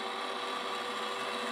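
Steady small-motor whir with a thin even tone and no catching or grinding, so the valve drive is stepping to the next cycle normally.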